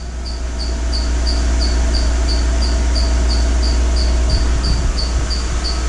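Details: 2012 Mercedes-Benz GL450, engine running while the air suspension pump hums, raising the car after rear air spring replacement: quick even high chirps about four a second from the drive belt; no air leak hissing heard.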